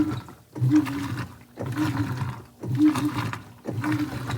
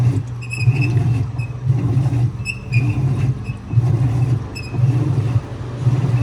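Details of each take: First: 2011 Whirlpool Cabrio Platinum top-loader (WTW8200YW0) on a sheets cycle with extra rinse, after bearing and basket-drive replacement. Slow agitation swishes about a second long with short pauses, no grinding or bearing rumble: normal agitation. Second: 2011 Whirlpool Cabrio Platinum (WTW8200YW0) direct-drive washer before its bearing replacement, agitating a much larger towel load: heavy rhythmic strokes about once a second with a deep rumble underneath from the bad tub bearings, still moving clothes.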